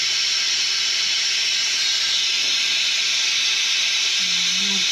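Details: F-4 Phantom in hangar: continuous steady high-pitched hiss, no pulsing; pneumatic leak near the canopy strut, not the piston, source not pinpointed.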